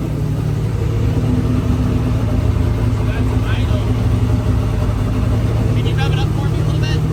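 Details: 2003 Ford Taurus NASCAR stock car, Roush Yates carbureted V8, first start after oil system work: catches and holds deep even rumble, revs rising and falling cleanly without misses or knocks; runs healthy.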